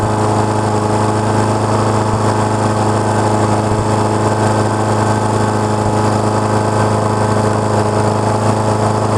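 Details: Honda HRX217 lawn mower, about 6.5 hp, that reportedly started then shut off, auto choke repaired, warming up after start: steady even drone without surging, hunting or misses; running kind of okay at constant speed, carburetor still to be checked.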